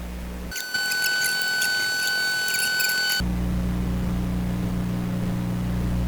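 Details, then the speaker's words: Sparton 1567 tube radio with both expander tubes pulled, listening at the output; steady low buzzing mains hum persists underneath, humming badly. "okay that's kind of interesting in itself both expander tubes out and it's humming really crazy"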